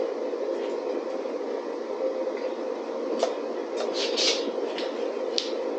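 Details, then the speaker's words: DIY waste oil burner after further adjustments, with a disc deflecting the flame: steady, even roar with no pulsing, sputter or flame-out; burning smoothly. "Like I said, I don't know how it's gonna work. It's sounding good. It sounds like it's blowing it."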